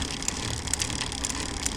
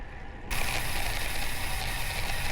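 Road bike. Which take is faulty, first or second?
first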